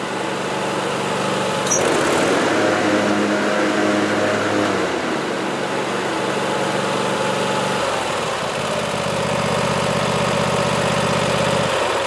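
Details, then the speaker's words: Sears lawn tractor after troubleshooting a failed 12V mower deck switch, switch temporarily rewired: engine runs steady, then hum shifts and dips as blades engage and spin up under load; deck engages normally. "now if you listen carefully you should be able to hear the blades start up"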